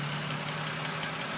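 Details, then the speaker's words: 2006 BMW 330i engine warm after running about 30 minutes, idling with a steady hum and a light fast ticking noise. "so the engine's warm it's been running for about 30 minutes and you can hear the ticking noise"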